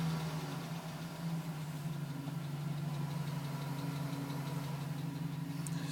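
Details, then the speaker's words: 2010 GMC Sierra with 2000 miles, cold idle: light, uneven faint tapping, still at 4 minutes, stopping at 5 minutes 42 seconds as temperature comes up; owner suspects piston slap, top-end or piston source unconfirmed. "tapping at 4 minutes. Tapping finally stopped at 5 minutes and 42 seconds."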